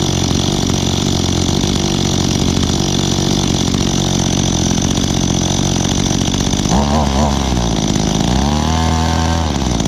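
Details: Echo two-stroke handheld (trimmer or blower) being started for the season: buzz with a rough, wavering note that hunts and drops near the end; owner thinks the carburetor needs adjusting.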